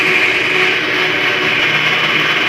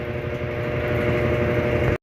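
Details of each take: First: Electrolux LAC 13 washing machine during spin: a loud, harsh scraping that holds steady, then stops with the drum. It comes from underneath the machine; the lower gear rubbing is suspected, not confirmed. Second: Electrolux LAC 13 washing machine after replacing the broken bearing and refitting the belt: smooth, even spin-cycle hum with no grinding or rumble; the loud noise during spin is gone.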